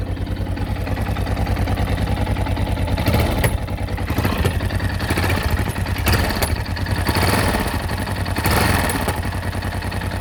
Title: Yamaha xt660z tenere engine knocking sound